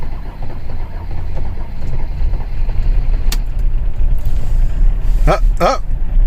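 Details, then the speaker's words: Mercedes-Benz E300 with OM606 turbodiesel, started on a jump pack after waiting for the glow plug light: a laboured start, then a low uneven rumble that barely keeps running and idles roughly. Hard starting and rough idle; later loose vacuum hoses were found. "it alive barely [Music] oh that doesn't sound good let's take a look yeah that doesn't sound good"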